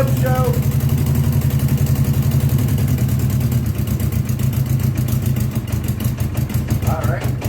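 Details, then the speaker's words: 1982 Honda GL1100 Goldwing Aspencade, first start after sitting 3 years: lumpy, uneven idle running on three cylinders, with the fourth kicking in and out; misfire, cause not confirmed. "you could hear it's like not running on all four cylinders and then one kind of kicks in and it runs a little better"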